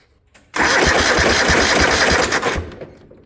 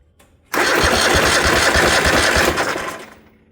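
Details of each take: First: 1972 Gravely 816 with Kohler Command 18 engine, throttle and choke fully up: starter cranks steadily at about six even compression pulses a second; normal cranking, spark confirmed after finding the kill switch. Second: 1972 Gravely 816 with a Kohler Command 18, inline spark tester fitted: starter turns the engine at about three compressions a second but it never catches. No spark with the kill switch down.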